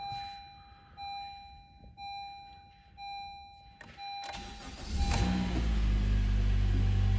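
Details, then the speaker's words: 2016 Honda Civic with a junkyard replacement engine, first start after refilling oil and coolant: a few chimes, short crank, quick catch and steady, even idle; a clean, healthy start. "Okay, it started no problem."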